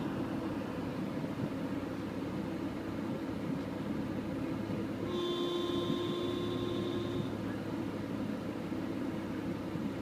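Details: Porsche Boxster: a steady background rush broken by a short electric hum lasting about two seconds, recurring at roughly 4-second intervals, from below the front hood above the right front wheel.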